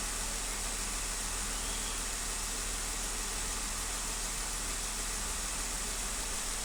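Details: 2015 Jeep Wrangler at idle with a cylinder 1 misfire: an uneven, stumbling low-end beat under heavy hiss as the dead cylinder makes the engine shake and miss.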